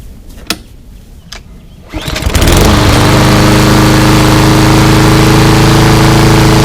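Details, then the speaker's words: Craftsman 247.374410 mower with a Briggs EX engine that wouldn't start, after cleanup and an oil change, cold start: catches within a pull or two and settles into a smooth, even run with no misses; healthy. "everything seemed fine and uh it's basically cold now so let's do a cold start see what we got"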